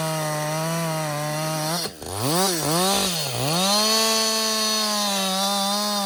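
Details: Husqvarna 562XP chainsaw, back from the shop after dying when hot and stumbling, about two-thirds of a tank in: strong steady scream, brief bog as the chain bites, clean recovery; healthy under load.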